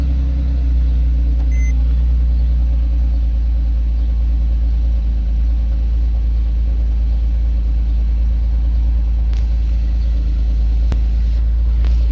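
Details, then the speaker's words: Salvage Porsche 997.2 GTS, 6-speed manual, with only suspension-related error codes: deep, even idle rumble holding steady with no knock or tick; the engine sounds healthy. "uh the motor sounds good"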